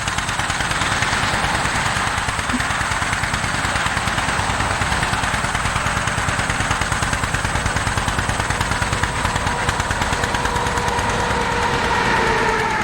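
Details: 1947 John Deere B tractor, engine started and warming up before an uphill run, heard as a slow, uneven putt-putt with a lopsided beat and weak or missing pulses; running on one cylinder.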